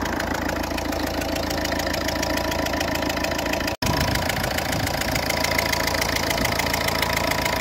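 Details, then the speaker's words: Ford Fiesta Mk6 1.4 diesel idling: rhythmic puffing chuff about three or four a second over the clatter, compression leaking past a compromised copper injector seal. "Now I'm going to turn on the engine and uh let you hear the sound of uh leaking injector of Ford Fiesta."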